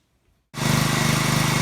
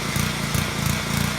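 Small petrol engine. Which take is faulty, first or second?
second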